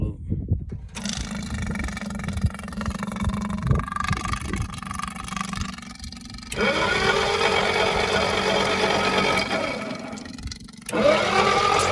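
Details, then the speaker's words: Seized flathead six side-valve engine from a Towmotor forklift that sat for years, freed by rocking it with the starter. It now cranks evenly through a full turn at about four beats a second without firing, and oil is pumping. "so I'd turn it one way and then turn it back with the starter motor and just keep doing that and it actually it's spinning uh full 360 now"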